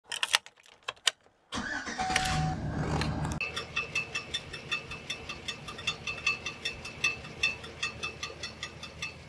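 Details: 2009 GMC Sierra 1500 5.3: after starting, a sharp metallic tick about twice a second rides over the idle, from the starter pinion dragging on the flex plate. The owner first suspected a broken solenoid return spring, but the spring was fine.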